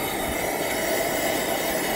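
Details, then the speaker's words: Coleman 424 dual-fuel camping stove with both burners lit and turned up: steady, even hissing roar with no sputter, pulsing or flare-ups; normal burner roar. "all right so they're both both lit I love that sound give a little more gas now"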